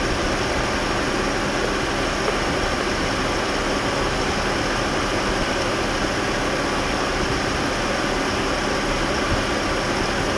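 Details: Jaguar at idle: steady rasping hiss over a low idle throughout with no clear rhythm, coming from the clutch area; clutch noise at idle, cause unknown.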